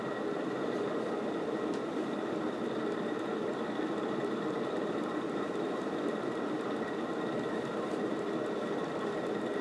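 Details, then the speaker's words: February 1986 Casablanca Delta II ceiling fan, glossy black, on high speed: constant rushing rumble like a speeding train with thin steady whine; worn bearings suspected, needing replacement; rumbling noise at high speed. "on this one my interpretation is it's a lot less like a cat hissing and more so like a speeding train"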